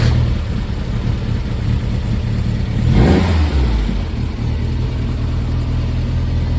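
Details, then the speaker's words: Brubaker Box newly installed engine, after first start, all gears selectable: steady even idle then one clean rev rising and falling smoothly, no knocks or misses; electrical gremlins remain. Normal running and revving. "so the engine starts it's got all gears"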